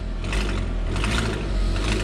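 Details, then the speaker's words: Audi with a leaking exhaust manifold gasket: loud, raspy, chuffing exhaust roar at the engine that is quieter at idle and swells when the throttle is pressed. "so we got a gasket pass it's not a big deal but i wonder how much that's going to cost from audi now or how long it's going to take to come in right"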